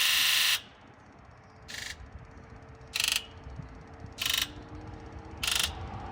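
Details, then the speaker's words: Ford F550 7.3L Powerstroke that wouldn't start, scan-tool injector buzz test: sharp electric buzzes in turn about every 1.2 s, one thinner; quiet injector varied between runs (7, then 1). Weak injector suspected, new set possibly needed. "Yeah, so once again, now only number 1 was the quiet one. Maybe this thing just needs a new set of injectors."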